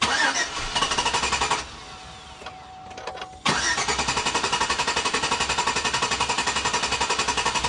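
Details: Rough start on an auction Chevrolet Tahoe after new plugs, MSD wires, compression test and MAF cleaning: engine runs briefly, drops to a quiet stumble, then catches and settles to steady idle; excess MAF cleaner and spilled coolant burning off.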